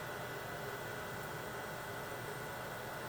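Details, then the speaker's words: Cyclades TS2000 32-port terminal server, built March 2007, on power-up: a smooth, constant airy whoosh with a faint steady hum and no rattle; the cooling fan runs normally, with a single LED lit. "on power up we hear the fan and just get a single LED"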